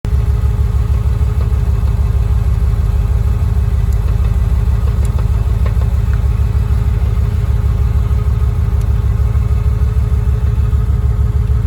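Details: After replacing the short shifter, a fine buzzy rattle rides on the steady low pulse of the engine idling in neutral. It stops when the shifter is pushed slightly forward; adjusting with shims didn't help.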